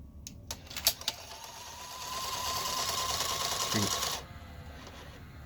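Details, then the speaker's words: 1984 Sanyo Beta VCR, model VCR-3: after eject is pressed, a few clicks, a motor whir for about two seconds and a clunk, and the tape loading mechanism cycles and reloads instead of ejecting; a mechanical loading fault. "so some sort of mechanical issue going on with this loading mechanism I'm gonna start poking around let's see what it does if I hit eject"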